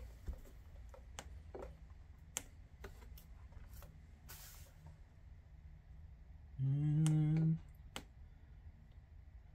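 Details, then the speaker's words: An Alaris PC 8015 infusion pump, plugged into mains power after teardown, gives one low buzzy beep then only faint clicks. It never powers up; a 24-hour charge is advised before troubleshooting. "the beep of the speaker where it's trying to acknowledge something but no power up"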